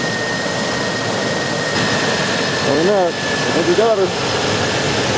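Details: 2001 Infiniti QX4 3.5L engine running after its noisy, squealing serpentine belt was replaced: steady, even hum and a faint constant tone, with no chirp or squeal from the belt drive.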